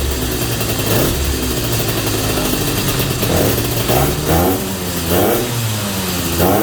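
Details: 250 Inter motorcycle, first start after a rebuild and 8 months of work: engine idles and takes several quick throttle blips that rise and fall cleanly, then settles back; normal running.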